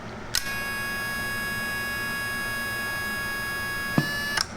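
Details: PAL 200MDX linear amplifier, ground fixed, keyed on the higher-voltage setting: a click, then a steady high electrical hum for about 3.5 s while transmitting, output rising as the tubes warm, about 150 W on the meter; normal supply hum under load.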